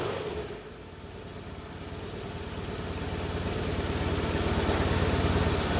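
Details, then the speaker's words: 1989 Hoverstar 2+2 hovercraft with BMW engine conversion, first start inside the hull after the front engine mount was redone for belt tracking: even, steady firing pulses building smoothly as revs rise, no knocks or misses; didn't sound bad at all. "oh heck yeah that's what I'm talking about that didn't sound bad at all"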